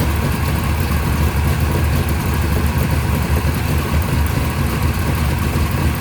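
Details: First startup of a freshly rebuilt 580 Mopar stroker on a run stand with headers and mufflers, timing at 33°, about 1,400 rpm fast idle, 65 psi oil pressure; deep, steady V8 rumble with no knocks or misses, a healthy idle.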